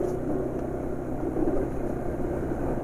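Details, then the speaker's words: Engine at idle on used Fastron Techno 15W50 oil mixed with Stelliron additive, replacing Meditran LE Ultimate. Low, steady hum with no knocks or ticks; it now runs smooth. "Jadi ini udah pakai oli Fastron 15W50 bekas yang sudah dicampuri styleron, dan ya ternyata halus ya emang."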